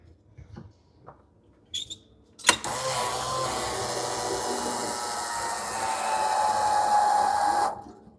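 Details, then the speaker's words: Fire-damaged CF Moto Z Force 800 side-by-side, key on: a click, then about five seconds of even electric fuel-pump hum building to a steady whine before cutting off; pump primes normally and builds pressure in the rails. "That built pressure. Yeah, it sounds good. I'm going to cycle it a couple of times just to circulate whatever fuel was in there and in the rails."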